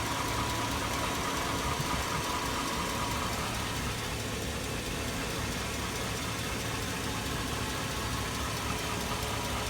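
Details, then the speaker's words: 2002 Chevy Avalanche 1500 5.3L V8, warm idle: a rough, fairly irregular tapping about three times a second on the right side, worsening over a year and diesel-like. The owner compares it to an F-150 cam phaser tick; cause uncertain. "[Music] got a pretty good knock I don't know whatever that is if you guys know what that noise is it's warmed warmed up here it's on the right side"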